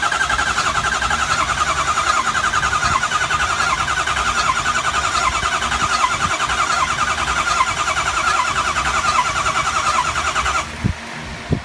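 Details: 2003 Ford 6.0 diesel with the HPOP replaced, IPR and FICM checked OK: steady starter cranking at about three and a half beats a second that never catches, then cuts out; cranks but won't start, cause unknown.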